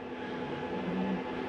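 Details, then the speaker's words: Flagstaff 8528BHSS travel trailer slide-out retracting, heard from inside: quiet, steady, even motor hum with no grinding or straining, and an end-of-travel noise that is normal, the slide stopping itself; normal slide-out operation. "Comes in rather smooth. Nice and quiet too. When you hear that noise, it's okay to hear that. That's the slide telling itself not to go any further."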